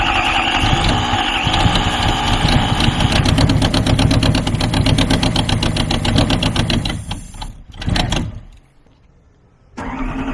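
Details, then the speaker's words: 1993 Lexus LS400, original 1UZ V8, first start after sitting; lumpy, uneven idle stumbling about four times a second before dying, running on only four cylinders, half the ignition system dead. "well boys there you have it it started up on four cylinders so half of the ignition system is working"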